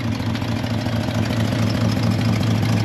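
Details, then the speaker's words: C30 V8 warming up on partial choke with water running through the block: deep, steady idle with even burble, no misses or knocks, while dirty water flushes out; finding: normal idle. "see she's idling pretty well you got all kinds of good coming out washing got dirty ass water coming out"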